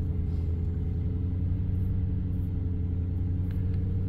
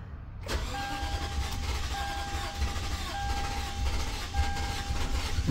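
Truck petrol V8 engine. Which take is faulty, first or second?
second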